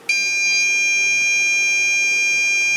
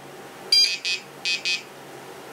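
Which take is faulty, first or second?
second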